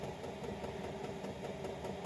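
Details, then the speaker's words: Chinese 5 kW diesel heater with LCD controller, kicked up to full output: steady even rush of fan and burner air with a faint pump tick underneath; running cleanly at full blast. "so as you see it's kicked in right now and it's running full blast"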